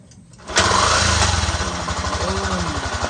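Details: XRM 125 motorcycle with YTX125 piston and rings fitted, tank cleaned of stale fuel and rust, kicked over then started on ignition: catches immediately and holds an even, regular idle, no knocks or misses; perfect.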